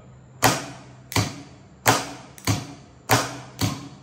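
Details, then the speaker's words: Car starter motor on the bench after assembly, energized with battery leads: six sharp, solid clunks about half a second apart as the solenoid throws the pinion; normal, healthy engagement. "तो basically हमारी star motor है वो properly ready हो चुकी है"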